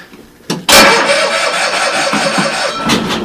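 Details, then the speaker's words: Old Cushman pickup, cold start at dusk with choke pulled, gas tank rigged without the fuel pump, and a doubtful battery on a jump: the starter whirs steadily for a couple of seconds but it never fires. Crank, no start; cause unconfirmed. "so kick in the clutch make sure the gas is loose and hit the key let's see what happens H not even a"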